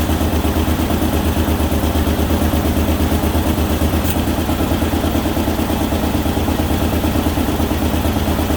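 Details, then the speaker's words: Ford Ranger XLT after manual transmission shifter bushing repair and reassembly, first run after correcting firing order: steady loud engine note with coarse rattly rasp over deep low throb; owner suspects an exhaust leak. "so let's try again just running maybe sounds like it's got an exhaust leak though"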